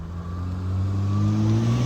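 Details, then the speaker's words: BMW M2, single-turbo straight six, M Performance exhaust with valves open: smooth, deep exhaust note climbing steadily as revs rise, no misfire or rattle; normal engine rev. "this is still one of the best aspects of the m2 the sound of the single turbo straight 6. it's magic check that out too"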